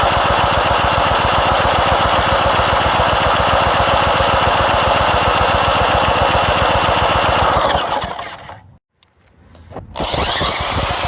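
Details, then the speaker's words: Old tiller engine cranked with the spark plug installed, throttle on low and choke on, but the gas tank is empty. Steady, even cranking at about four compressions a second with no firing, then it stops; no fuel. "It might be able to fire if it had gas in it. It ain't got no gas in it."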